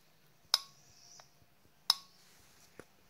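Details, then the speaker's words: New SL1 solenoid from a 2009 Pontiac Vibe 2.4L U250E transmission (code P0748, no 1st gear) bench-tested on a 9V battery. Two crisp clicks about a second apart; reads within the 4.5-6 ohm spec, while the old one would not click; solenoid working. "so we know we've got a good working one and i've already uh ohm checked it out at 5.6 volts which is within spec"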